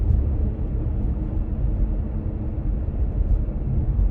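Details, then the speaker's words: Kia Stinger on the road after electrical tape was added to the metal hatch latch area to stop a known hatch rattle. Steady low road rumble with no rattle or tapping from the rear on the usual rattly stretch. Hatch rattle fixed. "i don't hear anything back there wow the answer was seriously some electrical tape on the metal hatch"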